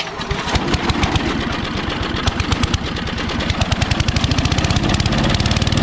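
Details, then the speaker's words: Old Craftsman 8 hp Briggs & Stratton chipper shredder, first start in years, plug cleaned, choke off, carb cleaner sprayed in: rapid regular firing thumps that steady; fuel filter and non-ethanol fuel to follow. "well that's a good sign let's get the fuel filter replaced and get some non-ethanol fuel in there and we'll give her another shot"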